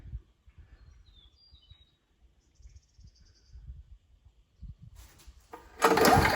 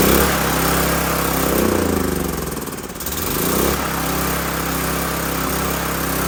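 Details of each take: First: Old 5500 W gas generator, full of oil, started after repair: quiet at first, then catches and settles into a strong running beat with slight load swells; runs pretty good. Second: Old 5500-watt gas generator after carburetor replacement, fuel still contaminated with a little diesel added to the petrol and tank nearly empty; drone surges and dips unevenly, briefly dropping then recovering; choppy running from diesel-contaminated fuel.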